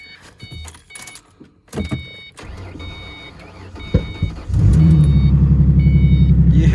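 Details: 2005 Ford Mustang after cutting and programming two new PATS keys to fix an immobilizer no-start: quiet clicks at key-on, then it cranks, catches promptly and settles into a steady, even idle; immobilizer light off, healthy start.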